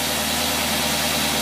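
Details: Rochester boat carburetor tested on a running engine on a load rig: steady, even idle with no misses, knocks or hunting; carburetor holds a clean, stable idle.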